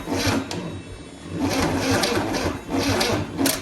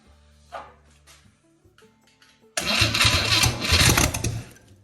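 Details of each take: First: 1963 Chevy 230 inline-six, sat about 35 years, bought on a pallet, first start attempt with fuel down the choke: starter drags slowly and unevenly, a labored chug about once a second without catching; weak battery, though spark present and fire spits from exhaust manifold. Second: 1963 Chevy 230 inline-six, sat about 35 years, cranked with a fresh battery pulled from an '81 Sierra: quiet start then strong brisk cranking burst for about two seconds; starter spins properly, dead batteries suspected as the earlier problem.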